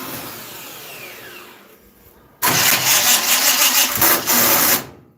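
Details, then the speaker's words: Dirt track race car with one shim fitted: about two seconds of harsh, uneven starter grinding without catching, starter not engaging fully; starter loose and wire loose, shim to be removed. "Dude, you're gonna have to pull that shim out. Oh no! Your starter's loose, dude."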